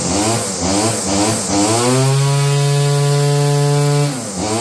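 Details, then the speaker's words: Roughly 30-year-old Stihl FS56 curved-shaft two-stroke trimmer: revs hunt up and down about twice a second, hold briefly, then sag, as if fuel-starved. It is surging and fading; dirty fuel and air filters were found. "Seems like she's running out of fuel. Jake? Whoa, Jake. What's that? I think it's running out of fuel-ish."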